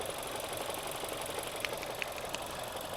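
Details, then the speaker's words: Idling engine, microphone close: rapid light ticking is normal injector noise, while slower, louder taps come from play in the clutch friction disc damper after about 40,000 miles of harsh learner gear changes; hydraulic lifters are fine. "not normal. Normally it's the hydraulic lifters on the valves, but they're working fine on this car. What it is on this car is the clutch."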